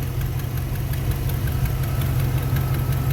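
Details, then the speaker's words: 1991 Chevy Silverado 350 V8 with parasitic battery drain, new alternator, idling on its own after needing throttle: light fairly quick tick over low steady idle; exhaust manifold/header leak noted nearby, source not confirmed; ticking at idle. "We got a ticker over here."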